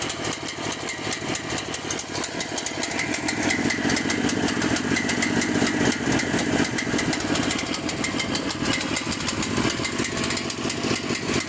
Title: Cael mini excavator: rough idle and die